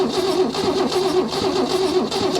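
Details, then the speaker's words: Holden Commodore not run in over 15 years, cranking via remote start button wired to starter before checking spark: even, rhythmic cranking pulses, starter spinning freely with no drag or catch; turning over nicely. Normal cranking. "you can hear that's um turning over nicely actually"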